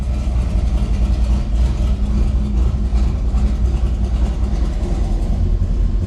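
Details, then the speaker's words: Old Chevelle V8 after the electric exhaust cutouts were repaired, started and then opened: deep, loud open rumble at idle with a throttle blip, no rattles or leaks, a healthy exhaust. "see how she sounds and then we'll open it out pretty good pretty good let's open her up oh yeah now we're talking"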